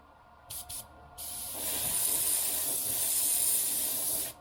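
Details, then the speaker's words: Airbrush spraying cheap Delta Ceramcoat black acrylic paint while test-shooting before painting a crankbait lure; a few short air puffs, then a ragged, uneven sputtering hiss as the paint clogs the tip; adding cleaner to the brush fixed it. "can hear it sputtering really bad. We're adding some cleaner to the brush."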